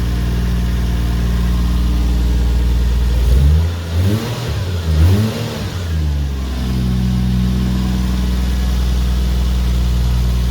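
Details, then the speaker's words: Toyota 1JZ six in a Mark 2 after compression test, plugs and coil packs refitted, a couple of hiccups at startup: steady low idle rising into two quick clean revs and settling smoothly; healthy engine despite lower compression numbers. "but yeah the thing that the numbers are lower it's a very healthy sounding engine it revs nice and makes plenty of power it's boost cut with ease so i'm not that concerned"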